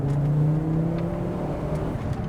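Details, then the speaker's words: Restored Fiat Coupe on a road drive through a 30 zone, on mismatched 50/55-profile tyres: engine note climbs cleanly and evenly under acceleration, no misfire, knock or rattle; quick and smooth. "She's quick. The engine's smooth. The engine is smooth."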